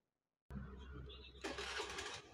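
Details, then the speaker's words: Honda Scoopy scooter whose electric (hand) starter would not work, after the starter's bolts were tightened: the starter whirs briefly, then the engine catches and settles into a steady idle, so the starter now works. "Cup Eh sudah hidup dan pastikan starter ini sudah berfungsi"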